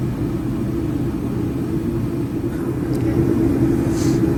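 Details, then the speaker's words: Junkyard 1959 DeSoto with its coil hot-wired to constant 12 V, bypassing the ignition switch: steady rumbling crank about four beats a second that never catches. No spark; the points are corroded, and the coil or condenser are also suspected. "So we still got no spark. Let's got power to the coil. It could be a couple of things. It could be the coil."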